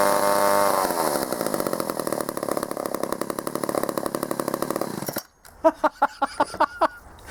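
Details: Vintage Poulan 306A two-stroke chainsaw salvaged from a scrapyard, first start after repair, switched on and choked: buzzing high then dropping to rapid even putter before cutting off; fires and runs cleanly.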